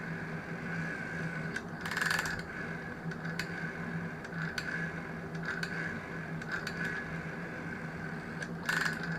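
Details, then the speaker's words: GEC Muraphone telephone dial returning: steady whir with irregular extra clicks that shouldn't occur; owner suspects the small one-way clutch isn't de-clutching; abnormal clicking on dial return. "sounds a bit odd as it's going around it listen to that sort of clicking noise that shouldn't be doing that I think it's because the the little clutch thing isn't de-clutching"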